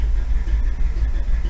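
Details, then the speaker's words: 1957 Chevy V8 after running at about 1600–1800 rpm high idle with a stuck carburetor float: float apparently came unstuck, now a deep, steady lumpy cam throb holding an even idle without stumbling; 35 psi oil pressure. "Maybe the float came unstuck. Oh boy. Yeah, the float must have come unstuck. Listen to that throbbing."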